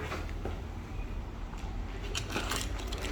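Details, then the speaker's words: BMW F10 535i with the key in a pocket near the car: the comfort access door lock actuator clicks repeatedly with no input and stops when walking away; owner suspects the rear passenger door handle, no hot spot felt. "so you see i didn't do anything you can hear the clicking and as soon as you back away it stops"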